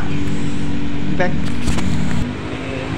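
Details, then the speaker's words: Honda Scoopy diagnosed by another shop as having lost compression and needing an engine teardown; the real problem was a loose spark plug. With the plug refitted, the engine runs with a steady low putter of about four beats a second and no misses. "Oke Alhamdulillah untuk businya sudah terpasang saya tes Alhamdulillah untuk motor Ibunya sudah bisa nyala"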